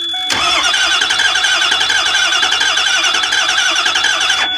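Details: Ford E350 6.0 diesel bus from auction, charge and intake pipes off: steady starter cranking with fast even chatter and thin high whine, never catching; crank no start from no injection control pressure despite fuel pump humming and fuel pressure present.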